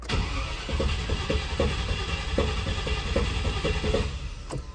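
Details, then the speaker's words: Land Rover Discovery XD, first start attempt on a jump pack after a new fuel pump and fuel line: uneven cranking pulses, then the starter stops on its own before firing; intermittent starter, owner plans hammer trick on starter and solenoid. "i didn't stop cranking it there stopped on its own looks like the starter has stopped working again i'll have to hit it with a hammer"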